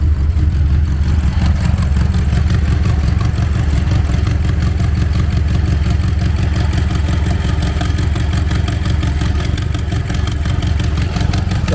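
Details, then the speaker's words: BMW X6M at idle after fuel pressure corrected for rough idle: steady deep idle with a ragged puffing, ticking chuff of a large exhaust leak; owner suspects one or both turbos leaking exhaust, not confirmed. "And you can actually hear the exhaust leak if you listen for it. That exhaust leak sounds horrible."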